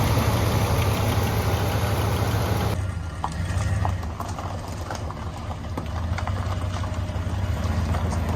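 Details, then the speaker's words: Boat-tail Buick Riviera, about 5,000 miles showing, after topping up power steering and transmission fluid: steady, even low idle rumble, no misses or knocks, settling after an early louder stretch; normal idle. "sounds like it's running pretty fine steers nice and easy I love it"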